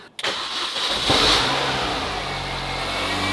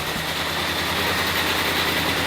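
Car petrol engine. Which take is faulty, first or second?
second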